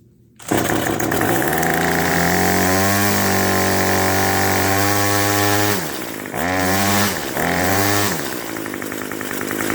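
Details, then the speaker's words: Small two-stroke string trimmer (Craftsman block) warming up before winter storage after choke start: revs up, holds, dips and recovers, with a faint squeak under the buzz from the trimmer's clutch. "the only thing you can hear is a little bit of a squeak coming from the engine that is the clutch the clutch on these trimmers really likes to make lots of squeaking noises"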